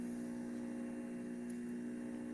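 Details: Juicer in for repair after a stuck safety switch was freed by disassembly, motor running after the fix as its power draw is checked: a quiet, steady low hum with no rattles, surges or grinding, the small motor spinning smoothly and evenly.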